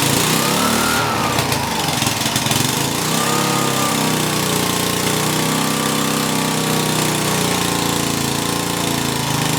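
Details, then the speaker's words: Coleman Powermate pressure washer small engine, after diagnosis and repair, wavers briefly then settles into a steady, even drone with no misses or knocks before the hose is hooked up; running normally. "all right she's a runner"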